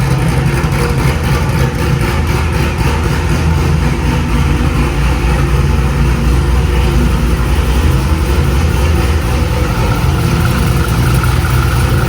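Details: Cammed 2000 Chevrolet C5 Corvette V8, started after replacing the crankshaft position sensor that made it need two cranks to start: loud, deep idle with a steady lumpy cam lope and no misses or knocks; sounds healthy.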